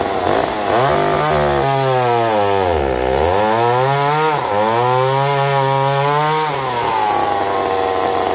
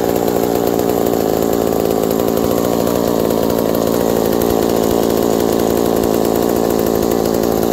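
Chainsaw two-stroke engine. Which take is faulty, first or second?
first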